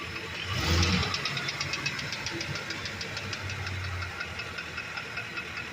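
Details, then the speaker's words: Ford Econoline E350 5.4 engine, listened from underneath after a brief rev; light, sharp ticking about five to six per second over a quiet engine hum, little or no noise when not accelerating; knock, cause unknown. "piden todo aquí abajo se oye el ruido así que comenta amigos a alguien le ha pasado la verdad yo no encuentro por qué ya de que la transmisión el ruido sigue igual a"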